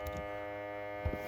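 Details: FXTUL F703 smoke leak detector, powered from the battery in a Pontiac's trunk, running normally: steady electric buzz at constant pitch and level, then a couple of handling bumps. Its power connection is finicky and needs working to hold.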